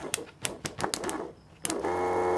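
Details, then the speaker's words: Bosch fuel pump from a Toyota Hilux LN106 build with an L67 supercharged engine conversion, freed after sitting dry and gummed up for two years; a few clicks, then a steady even whine; it runs, but whether it is healthy is uncertain. "it spins but you know i don't i don't know if this one sounds like it's working probably"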